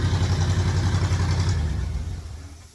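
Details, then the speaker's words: V8-based air compressor running on only four cylinders as engine, governor working: an even, steady low thrum holding constant speed then fading, nothing irregular; normal running. "I mean, it runs really good for only being on four cylinders."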